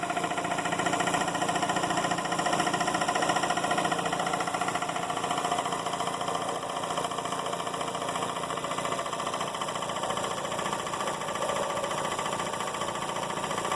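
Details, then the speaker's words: Emglo K15A-8P air compressor, converted to start/stop, running in constant-run mode at about 70 psi: steady electric motor hum with a fast regular pump beat. It carries on unchanged after the pilot valve unloads the head into idle; normal operation. "I'm going to turn the switch on it will immediately start and you will hear the hear and see the the compressor the kick out and the motor continuously run"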